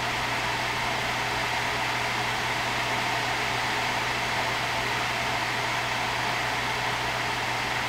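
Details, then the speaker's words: RX Vega 64 graphics card blower fan with fan and temperature limits raised: a loud, constant rushing roar over a low drone, like a jet engine or vacuum cleaner. Excessive blower fan noise. "yeah it's just absolutely excessive it sounds like a jet engine or I don't know like a super powerful vacuum cleaner or something like that"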